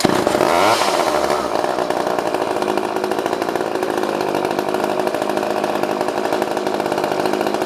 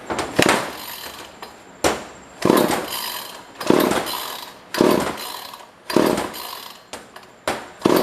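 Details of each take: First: Old pre-1990s two-stroke chainsaw fires after fuel finally reaches the line and screams up to a steady high buzz, holding evenly without stumbling; it runs properly. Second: Pre-1990s chainsaw bought from a neighbor, no primer, no air filter fitted: repeated rope pulls, each a short rasping spin of about a second, never firing; cranks but won't start, spark check planned, fuel appears to reach it.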